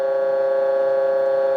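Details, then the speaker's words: Military RT-834 HF radio (GRC-106A) receiving a 1 kHz test tone: a steady pure tone with stacked overtones, clearly higher than 1 kHz, so the receiver is off frequency; cause of the frequency fault not yet found. "That's clearly off frequency, right? That's that's not how it should sound. If that was a voice signal, it would be very, you know, garbled and and really unintelligible."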